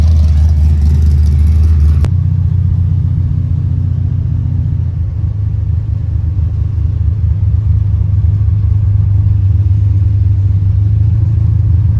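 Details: Big-block Monte Carlo on road test after steering work: deep steady low rumble holding even while cruising, no knocks or misses; engine sounds excellent, steering great, normal cruise.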